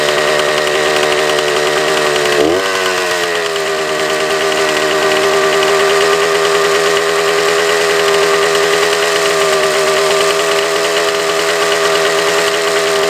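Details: Suzuki TS400 Apache two-stroke, bolt fitted in the exhaust drain: revs dip briefly, then hang high and steady with a buzzing note instead of idling. Throttle cable found extended; they hope that was the cause.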